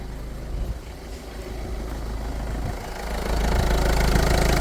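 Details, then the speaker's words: 1.4 HDi diesel idling after cleaning the DPF (FAP) in place with 4–5 litres of vinegar poured through the sensor hose: steady low diesel clatter about four beats a second, slightly building, staying even; engine runs smoothly, not damaged. "Donc là le moteur il tourne bien, le moteur n'est pas cassé,"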